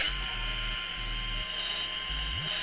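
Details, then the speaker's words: Krytac Kriss Vector airsoft gearbox after a DSG upgrade with a new motor and Lonex Spyral kit: quick bursts of crisp, even cycling with a clean spin-down, though the motor needs shimming for play. Normal gearbox cycling overall. "Yeah, man, sounds quite good."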